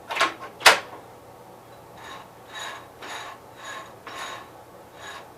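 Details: 1973 Gravely 810 tractor after a PTO change and side cover reinstall, transmission run through the gears: soft whirring swells about once a second after light clicks; gears mesh quietly in second, nothing rough; an earlier noise was being checked.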